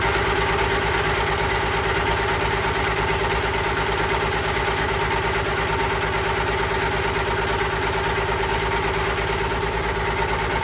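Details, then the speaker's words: Allis Chalmers 190XT diesel tractor, just revived, idling with a steady high-pitched whine constant with engine speed. Owner suspects the alternator, or possibly the hydraulic pump; unconfirmed. "And then that annoying sound you guys keep hearing, I'm pretty sure is the alternator, so I'll probably get an alternator coming too, and hopefully that noise goes away."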